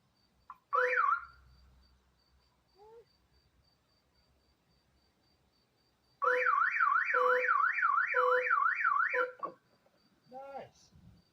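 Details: Abandoned Hemi Charger Daytona R/T, positive battery terminal reconnected after a new fob battery: a short chirp, then a fast up-and-down aftermarket alarm siren for about three seconds before the fob silences it.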